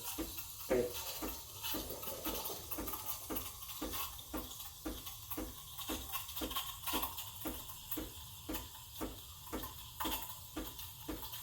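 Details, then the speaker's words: Breville Barista Express BES870 steam wand frothing milk: steady hiss with soft even pulses while the wand injects air for about 20 seconds. The hissing stops when the pitcher is raised just to heat the milk; normal milk steaming. "So when you hear the hissing, that's injecting air."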